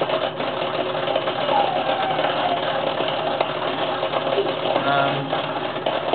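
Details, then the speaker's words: Dishwasher, drain line not clogged, reassembled after pushing through the drain with a turkey baster: continuous harsh grinding and whirring at one level, and no water coming in or out; grinding inside, cause unknown. "It's not clogged, but I just put the dishwasher back together thinking maybe it might have knocked something loose, some loose debris or something, and trying to run it, and it's making this noise. Awfully grinding."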